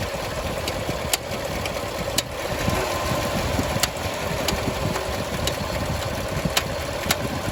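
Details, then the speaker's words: 2017 Silverado High Country 6.2 after AFM lifter replacement, warm engine: sharp, uneven ticks every half second to second over idle, continuing after shutoff; suspected head gaskets defective or installed backwards restricting coolant, source unconfirmed. "Okay, so the motor's warmed up. It's making a noise."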